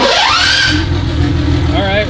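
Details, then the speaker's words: BMW E30 turbo M20 stroker (2.7L 325e block, 325i head, Schrick 284 cam, GT3582 turbo), rebuilt engine: starter whirs rising, engine catches and settles into a steady quiet even idle; normal start. "at least it's quiet and it runs hell yeah"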